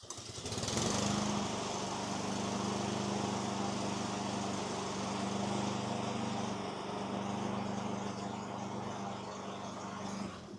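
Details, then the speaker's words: Small engine running smooth and even with no knocks or grinding on a Husqvarna self-propelled mower after a worn front drive wheel with stripped teeth was replaced; the pulley engages and both front wheels drive. "All right, now let's start it up, and I'll let you see the pulley engage as the motor's running, and you'll see both front wheels take off."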